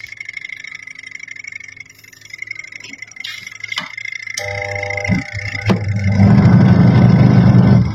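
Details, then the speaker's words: Twin-tub washing machine motor with capacitor fitted: steady low mains hum with no spin-up, turns only when helped by hand; suspected corroded, broken winding from age or overheating, no sign of gearbox leak. "Ternyata di sini dinamo tetap berdengung saja. Dinamo mau berputar kalau kita bantu dengan tangan ya."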